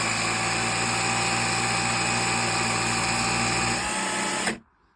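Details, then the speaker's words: Bosch GSR 12V-15 drill fitted with a new motor, running at full power: the steady high whine sags in pitch when the housing is squeezed or screwed together, then cuts out. The motor bogs and often smokes; cause unknown. "You can see that when I squeeze it together or screw it together uh the motor just uh starts slowing down. Something's wrong."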